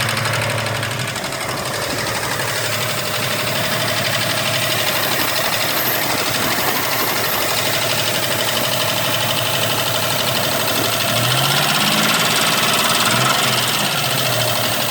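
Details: 1993 Toyota 4Runner 3.0 V6 petrol, 242k miles, at idle: light, steady ticking about three per second over the engine hum; owner asks whether it is a bad motor or needs valve lash adjustment.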